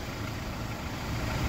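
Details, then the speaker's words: Jeep Wrangler JL 2.0 fully warmed after about 15 km of driving, oil level at half: a steady, even idle with a smooth low hum and no ticking or knocking. Normal warm idle; the knock is heard only when cold. "Вот сейчас мотор работает идеально. То есть на холодную он действительно постукивает."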